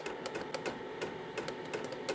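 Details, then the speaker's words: KROAK TB2 8 kW diesel heater running: sharp, evenly spaced ticks about twice a second from the diesel fuel pump over a quiet fan hum; heater feels decoupled in its box, clicking heard but not felt; normal. "At least that's how it feels. You can hear the clicking, but you don't feel it."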